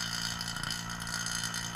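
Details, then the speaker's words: Vacuum pump evacuating the AC on a 1993 Corvette C4: steady hum with loud, busy clicking while still drawing air, becoming subdued once nothing is left to suck. "listen to the pump and you'll hear a difference in tone from when this the pump actually runs out of anything to suck hear that kind of loud clicking"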